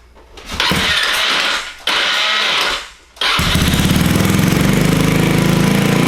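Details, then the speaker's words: Honda Ruckus scooter with GY6 (Chinese) engine, hard starting needing several pushes; after starter swap, two cranks then it fires and settles into a fast, buzzy idle well above normal; owner feels idle set too high. "I like idling wait too high because that sounded a little too high to me I feel like that's not good"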